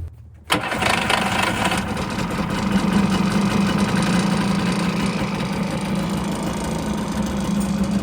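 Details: Kawasaki 550SX stand-up jet ski, two-stroke, sat about 30 years, carb untouched; after retightening loose plugs that leaked compression, it catches instantly and settles into a steady busy buzzing idle, sounding healthy.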